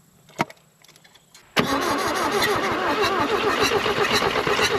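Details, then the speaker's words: 1964–67 Toyota Stout with a 3R four-cylinder, abandoned since 1984, with a carburetor fitted. Sudden cranking with fast, ragged firing around four per second that never settles into steady idle: engine cranks but will not keep running. "Come on. Got it. Holy crap. We about just had it running. It's going to run."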